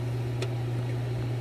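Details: Frymaster FPEL314CA 2015 electric triple fryer, 208 V 3-phase, while cycling heat: steady, loud low hum that never changes; heat contactor button stuck and coil buzzing, contactor must be replaced.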